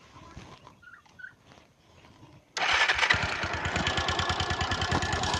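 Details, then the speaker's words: Pulsar 150 engine idling, partly disassembled. A quick, steady tick-tick rides over the idle in time with the engine, from excess valve tappet adjuster clearance; the fix is to adjust the tappet clearance. "Sound பாருங்க friends, ஒரு விதமான டிக்கி டிக்கி டிக்கி டிக்கி டிக்கி டிக்கின்னு ஒரு சத்தம் வரும். இந்த சத்தம் தான் வந்து வால்வுனால வருது."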